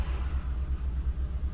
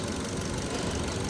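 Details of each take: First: 2015 Kia Cerato with constant shaking at idle: deep, uneven rumble with a lumpy pulse about three times a second; misfire counter points to cylinder 4, cause a faulty fuel injector. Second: 2015 Kia Cerato after replacing the faulty injector (a Santa Fe injector fitted): steady, even idle with a smooth low rumble, no stumble or shake; scope signal normal and misfire gone.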